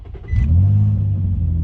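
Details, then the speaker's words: 2005 Infiniti G35 with a snapped serpentine belt, after losing power steering and ABS while driving, with brake, battery, VDC and slip lights on: it cranks briefly and barely starts into a low, heavy idle with no belt chirp or accessory whine. "Lost all power steering, lost ABS. Here, let me start it up for you guys. It almost sounds like it's barely gonna start"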